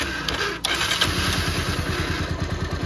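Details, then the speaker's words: Second-hand Bajaj Pulsar 150 single-cylinder, running without choke, old carburettor: light throttle opening makes it chug unevenly about three beats a second and stall; faulty carburettor suspected of starving it. "अभी accelerator करते हैं। हल्का सा दे रहा हूं। पे कर रहा है। देखो बंद हो जाता है।"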